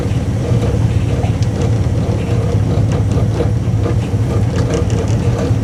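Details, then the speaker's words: 1959 Dodge Coronet V8 cold start after brake work: starts right up, loud, deep, steady rumble at idle with no knocking or misfire; healthy normal idle. "man she starts right up she starts right up this whole car wants to live man she does listen to that"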